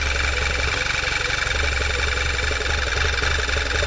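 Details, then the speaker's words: 2011 Volkswagen Tiguan 2.0 with the check engine light on: hunting idle that dips near stalling, with a hissing suck. Strong crankcase vacuum at the dipstick and fill cap almost kills the engine; it needs a new PCV valve. "can you hear it there's a wicked vacuum on it pull the dipstick dirt almost dying out there's significant vacuum on this like sucking it back down"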